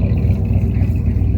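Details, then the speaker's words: 1973 Ford F250 highboy, likely FE V8 (360/330/390 unknown), running on bad gas, smoothing out as it warms: deep, steady V8 rumble with an even, unbroken beat and no knocks or misses; healthy idle. "Running on bad gas right now. You can just smell the bad gas, but It sounds healthy. Got trailer hitch. These things sound really good."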